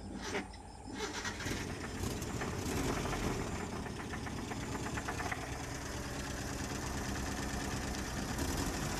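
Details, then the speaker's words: Old Mitsubishi Colt petrol engine cranks, catches and idles unevenly with an irregular limping beat; one spark plug cylinder dead, found by pulling plug leads with the engine running, points also serviced. "tapi yang positif ini businya yang mati temen-temen di sini mobilnya pincang gejalanya kalo busi mati temen-temen ya mobilnya mesinnya kalau itu pincang ya"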